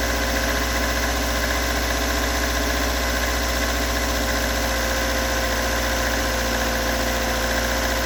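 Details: Toyota AE86 with stock bigport (blue top) 4AGE, unmodified, regularly maintained, about 195,000 km; uneven idle with light knock three to four times per second, recorded cold to warm at exhaust, cabin and engine bay; source not located.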